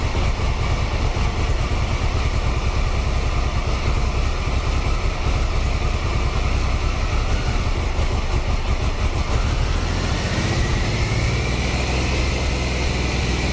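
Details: 1993 Triumph Trophy 3 900cc triple, 23 years old, idling after a new upgraded sprag (starter) clutch was fitted along with a new oil filter, air filter and fresh oil. An even low throb settles into a steady idle with no clunk from the starter side. Normal idle.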